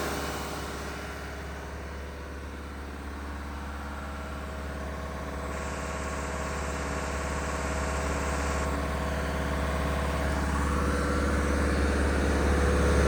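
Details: Diesel fire pump engine on weekly half-hour test, isolation valve closed, with an even rumble at about three pulses a second, slowly building in loudness, no knocks or rattles; running normally.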